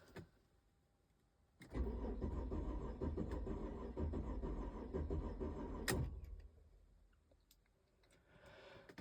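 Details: 2006 Mercedes SLK280 with a crank/no-start: even cranking for about four seconds, never catches. The scan tool showed zero crank-sensor rpm and the battery was low at 11.2 V; it was ultimately fixed by cleaning the corroded ECU.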